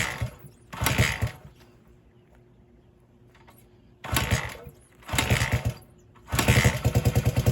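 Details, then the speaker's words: 1978 Honda XR75 after restoration, last run around 1989: after snugging a leaking fitting, the small single-cylinder blips up in short bursts with quieter idle between, firing crisp and even; running well for long storage. "I think it actually does pretty good for something that has been sitting this long enjoy"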